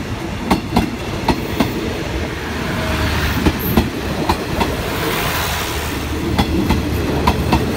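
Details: Express 86 Nakhon Si Thammarat–Bangkok behind Alsthom locomotive 4152 passing Samsen Station: sharp paired clacks at an uneven rhythm over a steady rolling rumble. Wheel clickety-clack, cause unconfirmed.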